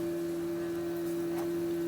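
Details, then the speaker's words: Empulse139 electric motorcycle with the motor-temp thermistor wire left unplugged so the coolant pump runs constantly: a steady electric hum at constant pitch, with hoses and radiator warming. The pump runs normally. "yeah i can definitely you can you definitely hear the water pump i can feel the the hoses getting warm and stuff now"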